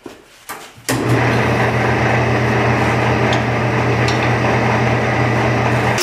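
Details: Pattern-making lathe turning a small wood workpiece: a knock at start-up, then a steady, even hum with no chatter; the workpiece spins smoothly.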